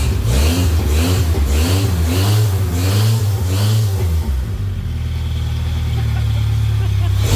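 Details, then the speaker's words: Engine runs for the first time after fixing a vacuum leak at a port thought to be a water port, no coolant circulating yet: strong even revs through several blips settling to a smooth idle, no fluttering or rattling. "we are running got right there [Music] [Music] boy no flattering no rattling"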